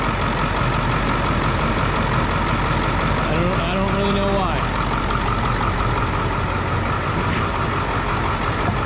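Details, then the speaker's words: Ford Powerstroke diesel tow truck that wouldn't start, ether sprayed, reassembled and set off for a drive; steady low diesel rumble at idle under wind and cabin noise, no misses or knocks; seems to be running fine. "seems to be running just fine thank you for a spin up the road I guess and see what the hell happens clearly there's nothing wrong with it"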